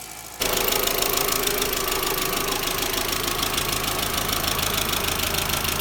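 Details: MK4 Jetta 1.8T right after head gasket and replacement cylinder head install, new timing belt, water pump, thermostat and temp sensor: first start catches and holds a steady, busy idle with even ticking, no misses or knocks; smoke suspected from valve cover leak. Normal idle.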